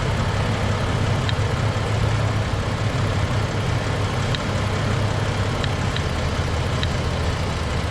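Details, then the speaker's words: Jeep at idle after replacing brake booster check valve and grommet: steady even idle, low rumble, no whistle or hiss from brake side; old grommet was leaking air, vacuum now sealing, believed fixed. "Just like that, I believe it's fixed. Don't know what was wrong with this grommet. Looks fine to me, but air was getting out."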